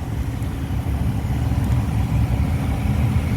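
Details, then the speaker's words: Two-year-old 100-ton Trane IntelliPak rooftop unit after repairing cracked static pressure sensing tubing, blower now about 64 percent holding 1.5 in water column: steady, even low rumble, no surging or banging, much quieter than the freight-train roar before; normal blower operation. "all right so I mean you can hear the difference I don't know if y'all can't over video it sounds better it sounds much more normal"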